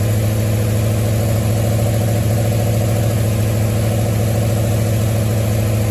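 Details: 1973 Mustang idling after a 1G-to-3G alternator conversion: smooth, steady low rumble with no misses, knocks or whine. Alternator charging at about 14.2 V and roughly 11 amps; battery good, engine idling normally.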